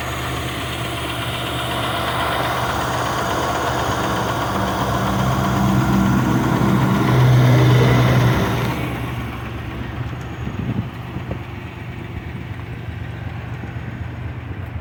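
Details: Car engine idling: steady hollow knock about four times a second, worse when cold, quieter when warm, suspected piston slap, not confirmed.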